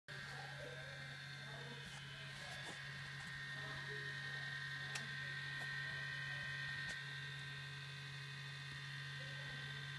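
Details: MacBook Pro makes a steady, loud low buzz with thin high whining tones while not doing anything processor-intensive; fan speed and temperature being monitored with smcFanControl; cause unknown.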